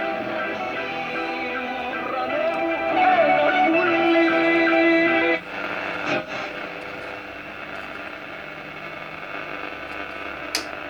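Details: Astor JK "Big Bow" radio, c. 1953, after replacing the two electrolytic capacitors that had left it totally distorted, playing broadcast music with guitar cleanly, no hum, crackle or fading; normal reception restored.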